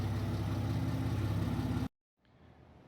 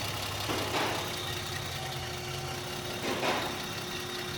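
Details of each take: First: Car with a Megasquirt ECU: a heavy, steady low boom under a rough burble fills the cabin. The exhaust drones too loudly, and a resonator is to be added at the muffler shop. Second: Car after Megasquirt plug-and-play ECU install: steady, low, smooth and quiet idle hum with an even beat and no misses or knocks; normal idle.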